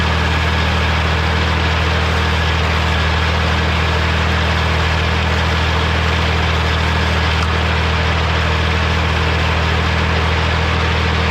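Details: Morra F25-6 disc mower on tractor, test run after bearing repair: smooth constant drone from tractor and spinning discs, no knocks or scraping; running clean, occasional slight touching possibly the shield.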